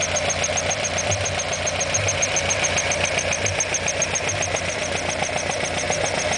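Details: Alfa Romeo Alfetta GTV 2.0L idling with a quick, fairly even ticking knock, about three to four a second, riding over the run; engine knocking noise, cause not clear.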